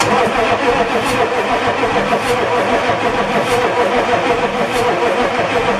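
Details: 6.5L turbo diesel after head gasket job, turbo off, fresh oil, booster charger, injector lines being bled: steady labored cranking about three strokes a second, no catch or firing; cranks but no start.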